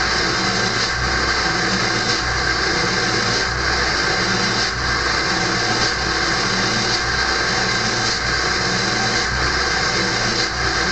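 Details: Early 1999 Ford F-250 diesel cold-started at 34°F, at high idle with the exhaust back pressure valve closed: a loud constant whistle rides over the diesel clatter.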